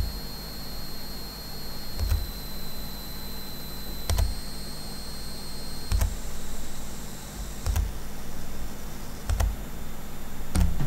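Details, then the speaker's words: GPD Win Max 2 prototype handheld: a thin, high-pitched, loud coil whine whose pitch steps whenever the screen brightness is adjusted, with faint button clicks. The whine is fixed on the final unit. "What's funny though is that the pitch of the noise changes whenever I adjust the screen brightness."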